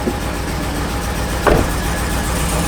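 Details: Truck bought with a misfire reported by the seller, with 4-inch exhaust: a deep V8 idle rumble with one sharper thump partway through, hinting at a misfire. Cause not confirmed.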